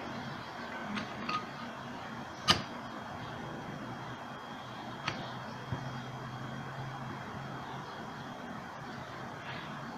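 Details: Pedestal fan that barely blew air, tested after replacing worn bushings and oiling the rotor: low, steady motor hum with a few handling clicks; fan motor runs smoothly and evenly, normal running.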